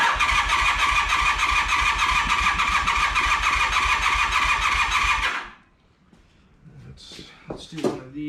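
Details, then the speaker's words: 1982 Honda CM450 unrun for about seven years, fresh oil, new plugs, good fuel. Steady fast starter cranking, about three turns a second, with no firing. Cranks but won't start; gummed carburetor jets suspected, carbs need cleaning. "once again yeah she sounds pretty gummed clean the carbs unfortunately"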